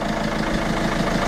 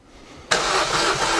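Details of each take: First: Peugeot 307 diesel after repair: steady, even idle clatter with no shake or misfire, smooth enough to balance a two-euro coin on it; repaired and running normally. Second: Diesel engine cranked after reassembly to build oil pressure: uneven chugging crank around 220 beats a minute without catching, because the fuel primer bulb was deliberately not pumped.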